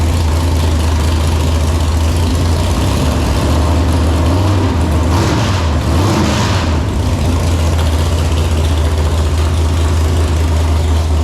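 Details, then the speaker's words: Freshly built 454 big-block Chevy for an El Camino (10.2:1 compression, hydraulic roller cam, ported 781 heads), first fire-up: deep, lumpy idle and a smooth rev blip, no knocks; needs carb tuning; normal idle and revving. "[Music] that sounds crisp definitely needs some carb tuning yeah sure out of the box"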